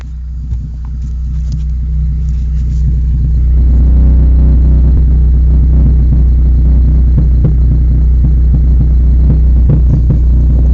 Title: Exhaust leak Rover 213 SE